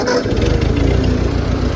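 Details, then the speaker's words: Old 8N or 9N tractor used for towing and plowing, idling: an uneven beat with an occasional skipped firing pulse, a slight miss. The owner suspects it needs spark plugs; it otherwise runs well. "yeah, she runs like a charm. She's missing a little right now. I think she needs some spark plugs, but yeah, she runs pretty good."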